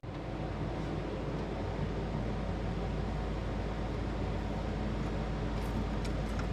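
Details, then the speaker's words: 1968 Ford Falcon engine run briefly after an exhaust blockage was removed; strong, steady low rumble with no coughing, now breathing properly and heating up more slowly. "What a difference. Now she rips. And ironically, just because of it's not that back pressure has somewhere to go, it's not heating up near as fast either."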